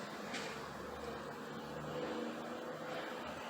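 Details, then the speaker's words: 1968 Chrysler 300 with 440 V8, after being driven into a warehouse: low, uneven, stumbling idle from a dead cylinder because a spark plug wire came off; misfire. "I think all of that noise and racket that was going on when I pulled it inside the warehouse, I thought we got a plug wire off over here. No wonder it's not idling quite right."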